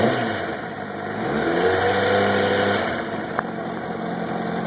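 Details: 2005 Honda CBR600RR at a steady idle, briefly rising on the throttle, with a faint busy mechanical chatter over the engine note. The owner suspects timing chain noise and is unsure whether it is normal.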